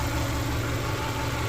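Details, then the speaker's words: Subaru Impreza bugeye at idle, injectors audibly firing: smooth, even low idle with soft steady injector tick and no odd clicks or knocks; sounds very healthy. "no weird noises no loud clicking sounds that shouldn't be happening seems very healthy super happy about that"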